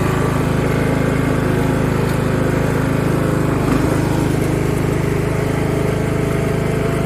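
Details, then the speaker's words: Free Craftsman riding mower (917.273760), warmed up after valve adjustment: quick, fairly even putter of about 220 beats a minute holding speed. Running much better, though it still surges occasionally; motor thought fairly worn. "oh she's running really good so and so it's definitely running a lot better than it was"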